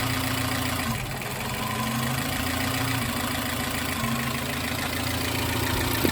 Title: Suzuki x90 misfire